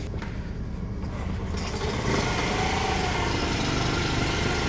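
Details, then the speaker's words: Honda Monkey Z50J small single, new battery, cold start on choke and fuel reserve, started first kick: even brisk putter, fairly steady, warming up and healthy. "and it's starting to warm up."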